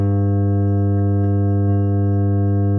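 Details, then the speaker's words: Genius PC speaker set with subwoofer, plugged in and switched on, gives a loud, steady, harsh mains hum that continues even when audio plays. "Y como podéis comprobar, hace un zumbido bastante molesto. Y si ponemos algún tipo de sonido o alguna cosa, pues veréis que continúa."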